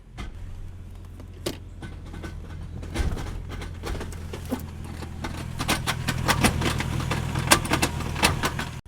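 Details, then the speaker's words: Mercedes ML55 AMG W163 that won't drive: steady low engine hum with irregular clunks and rattles when put in gear, no movement; owner believes the transfer case is destroyed. "So, it sounds like it's coming from the transfer case. So, we had a few options on this, but I'm pretty sure my transfer case is destroyed."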